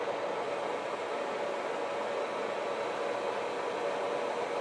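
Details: Used 16x40 gap-bed lathe turning steel, taking about a 5-thou depth-of-cut pass during inspection: a steady, even hum with a faint constant tone under a light hiss and no chatter or knocking, a smooth normal cut.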